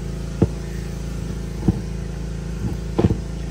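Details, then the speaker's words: 2005 Chevy with a suspected bad steering gearbox, idling: a few sharp single knocking clunks as the steering is moved, pointing to worn steering linkage or gearbox. "you could move it and see if you hear the little knocking noises yeah like that"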